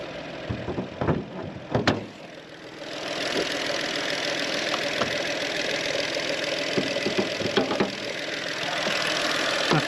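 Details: VW engine after a water pump replacement and a test drive, with heat working: after a few clunks it settles into a steady, even idle with no knocking or rattle; sounds healthy.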